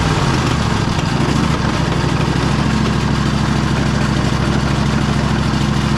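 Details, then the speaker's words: Riding mower engine that ran low on oil: low, lumpy, stumbling beat under a rough exhaust note, lacking power, smoking white and rocking; rings suspected burnt and head gasket possibly blown, rod knock thought unlikely. "This one, you can see it's smoking pretty good. Engine's rocking back pretty pretty good back and forth. I don't think that's really a rod knock or anything like that, but looks like the rings are pretty well burnt."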